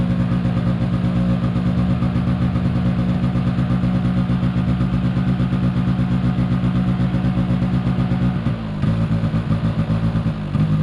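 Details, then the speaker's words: 2005 Polaris Predator 90 two-stroke quad after a new battery and carburetor tuning: steady elevated idle that hangs high and never settles, brief dip near the end; spraying around the carburetor found no air leak, source still unknown. "I did tune up the carburetor a little bit more because I believe the last time it ran for y'all, it was high idle was hanging."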